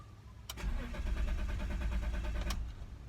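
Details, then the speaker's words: 2003 BMW E46 325i won't start after sitting in Arizona heat for about eight hours: steady starter cranking about three turns a second for two seconds, never fires; owner checking fuel pump, cause unknown. "it just sounds like it doesn't want to turn over so if you guys have any advice let me know"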